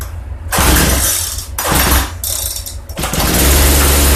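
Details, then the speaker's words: Free Poulan P3314 chainsaw before fuel system refurbishment, revs surging and dropping unevenly, stumbling between bursts; leaking fuel line at the gas tank (wrong size or defective) and carburetor adjustment has no effect, rough running likely from fuel fault. "ut it's not running all that good it has a leaking fuel Fu line right around the gas tank so either it's got the wrong size fuel line on it or that fuel line is defective also when I try to adjust the carburetor I have no control over it"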